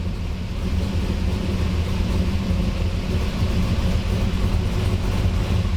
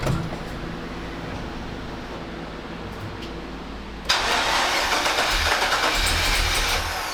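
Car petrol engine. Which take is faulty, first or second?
second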